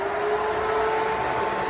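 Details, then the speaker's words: Fox-body Mustang just rebuilt and first fired up: electric radiator fan running with a steady whir and constant whine, smooth, no rubbing or wobble; normal radiator fan operation. "all right so the rad van this one works"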